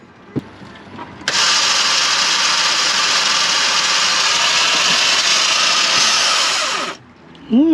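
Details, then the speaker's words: Salvage car with engine seized solid after being driven with no water: starter gives a high whir for about five seconds then dies with no cranking; starter motor gone, likely burnt out from repeated key starting (suspected). "that's definitely start M it's gone anyway what they probably done is where they someone kept on trying to start it on the key and burnt the alate starter motor out"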